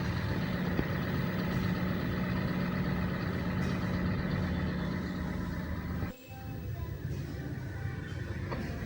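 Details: Toyota Sienta petrol engine after replacing the weak auto belt tensioner and cracked fan belt, which had caused a rough roaring sound when revved and with AC on; now a steady, even idle hum with no belt squeal, chirp or rattle.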